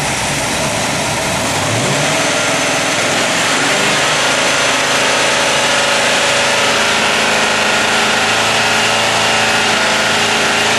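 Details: Ford crate engine on a test stand, run near 3,000 rpm with the vacuum advance disconnected while timing is confirmed at 36 degrees with a timing light. Loud, steady, even run with no knocks, misses or grinding; healthy engine, timing correctly set.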